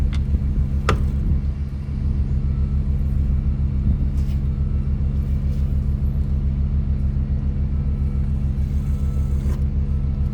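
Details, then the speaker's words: Yamaha F300 outboard power trim pump after replacing leaking trim seals: steady electric pump hum with a slightly uneven, churning undertone and a little air at the end; system was low on fluid, air being bled. "You can hear a little bit of air at the end of that. It's good. Definitely needed some fluid."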